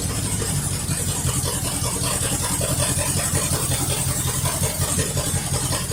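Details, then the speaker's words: 1973 Mercury Cougar XR7 with a 351 Cleveland two-barrel V8, slightly warm after running a gas mix to flush it. Deep burble with a slightly lumpy pulse, about 160 beats a minute, steady with no knocks; runs much better than before. "definitely it runs and sounds a whole lot better than what it used to so I'm glad that I put that all in there to kind of flush it out"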